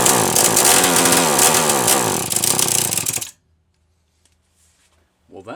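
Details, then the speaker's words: Homelite XL-123 chainsaw, unused about six years, carb already cleaned: revs surge and sag unevenly for a few seconds, then cuts out abruptly; misfiring and stalling from an ignition problem, whether the switch or something else not confirmed. "there is no question in my mind that that is an ignition problem so whether it's that switch or something else i don't know"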